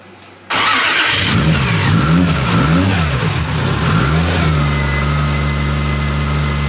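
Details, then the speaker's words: Built 1JZ-GTE in a Nissan 350Z after switching from wasted spark to direct-fire ignition: it catches quickly, revs rise and fall smoothly around 1,000–2,000 rpm, then it settles to an even idle with no misses. It sounds healthy, with good oil pressure. "it sounds healthy though"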